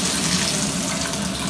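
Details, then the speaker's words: Bathroom tub spout after the diverter fix, with the spout refitted using a rubber gasket: a steady hiss of water pouring freely with no whistle, squeal or scream. The spout now runs quiet and normal. "as you can see or hear there is no whistling or Screaming sounds"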